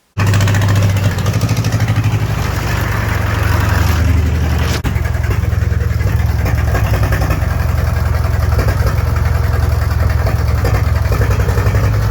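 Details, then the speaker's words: Fordson Power Major tractor diesel, parked 5 years, on new batteries with the exhaust pipe removed: loud, uneven, lumpy clatter that ran a while then stopped. Rough running. "started even allowing for the exhaust pipe being removed the engine sounded like an absolute bag of spanners it did run for a time and then it stopped"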